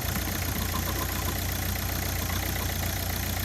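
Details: Ford Focus diesel after replacing the original vacuum pump: steady low idle with an even, light clatter of about three beats per second, no pinging; acceleration pinging gone and braking vacuum improved.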